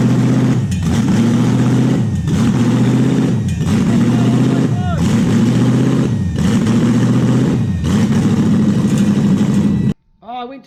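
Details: Toyota 1UZ-FE V8 just started: idle rises and sags in a steady cycle about every 1.5 seconds, hunting as the IACV idle stepper motor runs its reset process. This is the stepper reset, not yet a confirmed fault.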